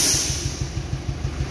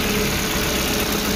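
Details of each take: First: Suzuki APV (Mega Carry), rarely serviced, at idle: heavy uneven chuff pulsing about three times a second with strong engine shake, coughing and lacking power. Likely one cylinder not firing; spark plug, coil or injector suspected, cause not yet found. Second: Suzuki APV (Mega Carry), rarely serviced, that shook, coughed and lacked power: after service and part replacement, a short even rev with steady hum, no stumble or shake, rpm settled, running normally.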